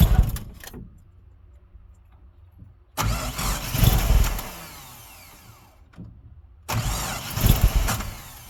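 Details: 1987 Mazda B2000: two short bursts of low, uneven cranking with silence between, never firing; cranks but won't start.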